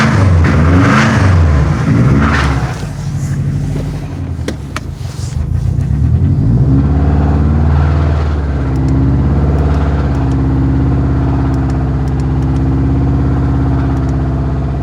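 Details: Suspected rod knock on a 2012 Subaru WRX EJ255 boxer engine: revs then settles to a lumpy idle with a faint, steady deep knock underneath; not confirmed.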